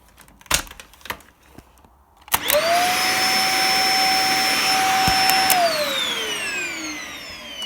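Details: Dyson DC50 upright vacuum after repair, cleaned but not fully stripped: motor spins up to loud steady high-pitched whine, then falls away at switch-off.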